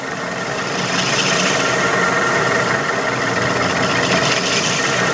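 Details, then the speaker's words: Lathe facing cut on input hub for Wabble cycloidal reducer of etching press drive: steady hissing rasp with faint ring, roughening as chip thickens over leftover turning steps; normal cut. "oh you can hear that noise so that's the the the chip thickening up as it uh encounters each one of those turning steps"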